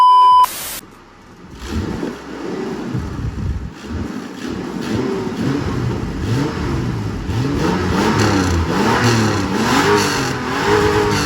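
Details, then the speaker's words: 1999 Ford Explorer Sport, 4.0 SOHC V6, 90k miles, bone-stock exhaust with what may be three catalytic converters, parked: revs up and down in smooth even sweeps, mellow note with slight cat crackling; healthy. "But this thing sounds pretty good too for being stock exhaust."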